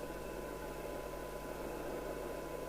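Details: Midland 77-805UK CB radio after the 455kHz filter and display board were replaced and the set realigned: steady hiss with faint constant tones from a weak signal-generator test signal of about 0.3 microvolts; receiver sensitivity is fine (0.75µV for 12dB).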